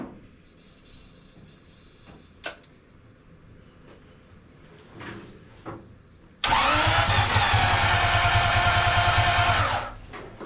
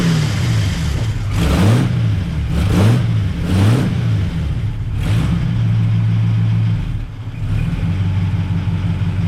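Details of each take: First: 1939 Buick coupe, 248 Buick engine, with new coil, points checked and no fuel reaching the carb, tried on starter fluid: starter spins evenly about three turns a second with a brief catch; cranks but won't start. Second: 1939 Buick coupe 248 after coil replacement: deep, smooth throttle blips rising and falling, then settling to an even idle with no knock or clatter; engine sounds healthy.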